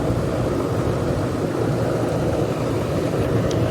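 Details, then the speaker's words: Old Goodman AC outdoor unit on an 8 pm no-cooling call. Only a steady fan whoosh and low rumble with no compressor hum; the condenser fan runs but the compressor isn't starting, and gauges are to be checked. "Sounds like fan only. Oh, Goodman. Go get a gauge and see what she's doing. All right, I thought I heard a compressor, but I did not."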